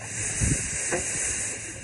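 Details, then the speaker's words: Ranch water line about one to one and a half miles long, run dry, with the valve uncovered from snow: constant loud hiss with a low gurgle as trapped air bleeds through the release valve. Air release from water line. "I can hear it making some noise. So I can bleed the air out of it."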